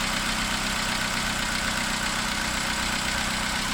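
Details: 2009 Opel Corsa D 1.2 Z12XEP at cold idle after start: steady idle with faint fast light, slightly uneven tick; owner suspects noisy tappets, worse when cold, possibly stopped after a drive.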